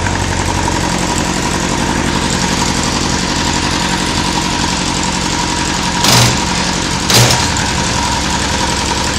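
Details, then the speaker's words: Honda Seven Fifty (CB750, 1992–2002) four-cylinder engine check: a steady, even idle with two soft clunks as gears engage; the engine sounds healthy, starts easily and revs well. "Como podemos ver, es un motor que suena bien, que arranca sin problemas, sube muy bien de revoluciones."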